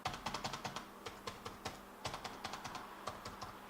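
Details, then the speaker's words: Lenovo ThinkPad X220: light, fairly quiet keystrokes on the upper keys, no hollow tapping; typing on the bottom rows flexes the deck so its metal rubs the chassis and taps loudly, keys feel mushy. "so when you type on any of the bottom row keys so between this row and here you'll hear a loud tapping sound but when you type up here it's fairly quiet"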